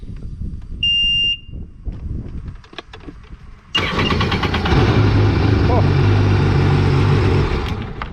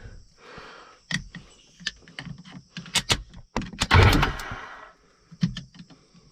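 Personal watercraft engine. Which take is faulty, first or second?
second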